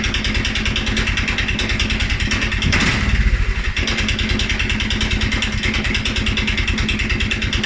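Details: 2011 Polaris Sportsman 550 XP, EFI: single-cylinder thumping idle sags and stumbles after a brief rev, beats uneven and lumpy; also stumbles cold on startup. Dealer found TPS, IAC, TMAP in spec; valves, timing, new plug, 43 psi fuel pressure good; rough idle, cause unknown.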